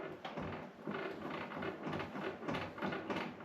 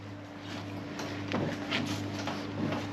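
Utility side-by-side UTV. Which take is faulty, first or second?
first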